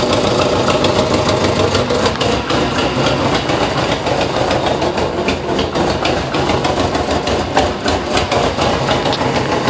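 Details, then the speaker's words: 2005 Subaru Impreza WRX rebuild with freshly rebuilt heads and a welded cheap eBay header: rough idle with sharp fast ticking puff following engine speed; bad exhaust leak, fixed by a new header. "Sounds like a bad exhaust leak, but the exhaust should be good on this. Got new gaskets."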